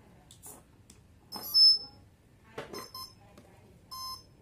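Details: DIY RC plane brushless DC motor setup, power connected for servo check: short high-pitched beeps in separate bursts at switch-on in a quiet room; normal speed-controller startup tones.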